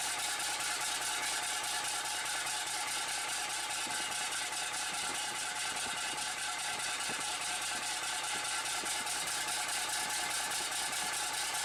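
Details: Bus diesel restarted after standing unrun for a week, with fresh fuel and a bodged wire: light even idle clatter and steady hum while warming, no misfire or hunting; healthy normal idle.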